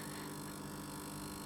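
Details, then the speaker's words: Idling tube guitar amp, covers off, being rewired because it breaks up at high volume: a steady low mains buzz with rich overtones from the main power-transformer side. The owner suspects a transformer is not bolted tightly to the chassis. "all right no ban humming I think one of the Transformers isn't bolted to the chassis quite tightly enough"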